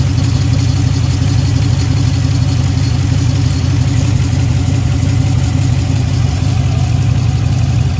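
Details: 2013 Jeep Grand Cherokee heard through exhaust, smoky loping idle about twice a second; cylinder 5 (left bank) misfire, code P0305, from a bad lifter and worn camshaft lobe.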